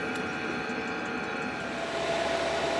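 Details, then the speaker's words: New 12 V 5 kW diesel heater in a van, about 10 minutes after startup, smoke clearing: soft steady ticking about four clicks a second over constant hum; fuel pump metering normally. "right and after about 10 minutes the Smoke's starting to clear diesel pump still ticking away"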